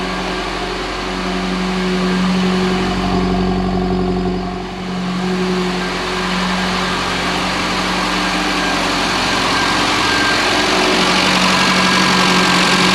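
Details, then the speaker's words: Classic Mini Clubman Estate, E5 fuel, fuel pump fitted: engine idles with a steady, slightly uneven beat, sags briefly, then stalls despite having fuel; cause unknown. "nope lost it [Music] we've lost it let's save it oh it does want to run it has got fuel"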